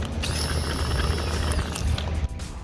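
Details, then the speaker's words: Grimy fuel pump from a first-gen XV10 widebody Toyota Camry, bench-tested on direct battery power: high steady electric whir with light rattling, pump turns on and runs fine; normal, though to be replaced anyway. "right well that's bad news it does actually turn on so I didn't need to replace this"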